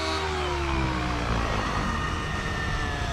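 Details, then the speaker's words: Nitro RC helicopter, OS 55 engine with Power Boost pipe, OS #8 glow plug, 30% heli fuel, high head speed: high buzzy note sags at mid stick with thick smoke; rich mid-range mixture bogging, needle to be leaned. "so that mid stick you hear the helicopter bogging down a little bit and we got a lot of smoke"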